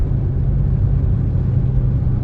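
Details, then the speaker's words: 2005 Saturn Ion road test up to a steady 55 mph with AC off, after replacing the front driver-side wheel bearing/hub. Steady road rumble and engine noise tracking RPM, with no howl. Wheel bearing now quiet. "okay normal engine noise winding up with the RPMs noise drops with the RPMs I am not hearing the loud howling noise anymore"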